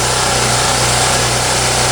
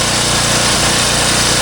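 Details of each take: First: Champion generator, over 1000 hours, after a tune-up, restarted with choke on: constant even drone holding speed with no surging; idles steady and smooth, repair a success. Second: Champion generator, 3–4 years old, over 1000 hours, after cleaning the carburetor jet: loud busy running, briefly calm then hunting again with slight speed rise and fall; float bowl nearly clean.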